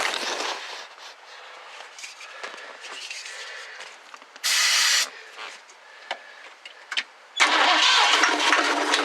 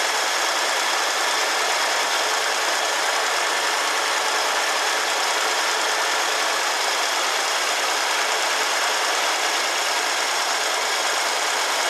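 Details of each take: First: 1969 Ford Club Wagon van, 302 V8, given starting fluid: two short cranking bursts, it coughs and catches briefly but won't keep running. It has spark but little fuel. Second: 1969 Ford Club Wagon barn-find V8 with the engine inside the cab, started on old oil after fuel lines were checked and reconnected. Steady, even run with no knocks, ticks or misses; runs well.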